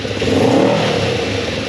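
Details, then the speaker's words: Kawasaki 454 LTD motorcycle idling well after carbs were cleaned, one needle replaced and the other scrubbed; fuel mixture unadjusted at two and a half turns out on both carbs. Smooth pickup on a brief blip and even settle, no misfires; much better than before. "now i'm not saying she's running great but she's idling good i haven't adjusted the fuel mixture or whatever it's two and a half out on both cards"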